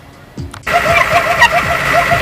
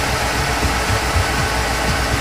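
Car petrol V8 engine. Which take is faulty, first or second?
first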